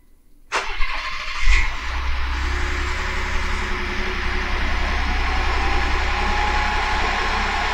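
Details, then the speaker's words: Ford F-150 EcoBoost after broken crankshaft repair, first start once a forgotten fuel line was connected: brief crank, catches cleanly, settles into steady even idle with no misses or knocks; slightly smoky but runs normally. "that's much better all right there you have it it runs"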